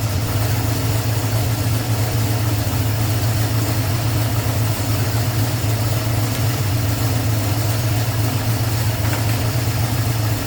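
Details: 1989 Ford Mustang with a 351 Windsor V8, warming up: smooth, constant low V8 idle with an even beat, no tapping, knocking or hunting; normal, healthy idle.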